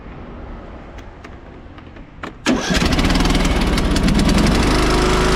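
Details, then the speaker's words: John Deere L108 riding mower, deck slows when mowing; muffler bolts fell out and wouldn't tighten. Quiet clicks, then engine catches and roars with a harsh rattly buzz as the engine rocks: loose engine mounting bolts and loose exhaust rattle. "You see how much that's moving, and he was aware that the exhaust came loose. If he would have paid a little more closer attention, he would have figured out also that the bolts for the engine were loose and that there were some other things going on."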